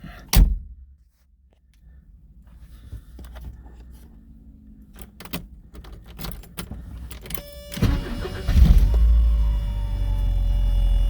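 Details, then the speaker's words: 1983 Porsche 944, fully cold engine, low on fuel: after key and cabin noise, a short crank catches quickly and settles into a steady, even fast idle; starts easily with no battery issues or drains, no smoke, excellent cold oil pressure. "Starts up very good. There's no battery issues. Doesn't have any drains. No smoking. Starts up easily."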